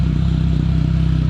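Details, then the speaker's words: Small GM car (Sunbird/Sunfire) began missing after 70–80 miles of driving, with a fuel smell and a check engine light; the idle dips and surges with a rhythmic "whoop" in the exhaust, an idle misfire. "If you can hear it, it's starting to whoop, whoop, whoop, whoop, whoop, whoop, whoop, and the exhaust."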